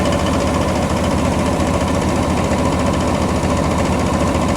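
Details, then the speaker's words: Hood open after about a six-mile drive with AC on: an old AC compressor, still slightly leaking refrigerant, gives a loud steady churning with loose ticking about twice a second, a tad louder than liked but normal for an old compressor. "She's ticking right away, though. Man, look at that thing go."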